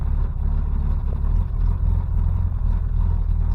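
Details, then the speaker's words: 1988 Chevrolet S10 with a new engine and TBI, restarted after a few hours: deep, lumpy, uneven idle rumble; running rough, cause unconfirmed, owner suspects an exhaust restriction. "wow it actually fired up way easier than I thought was going to sounds like crap"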